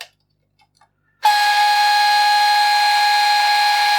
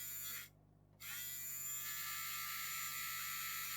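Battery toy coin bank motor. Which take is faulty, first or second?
first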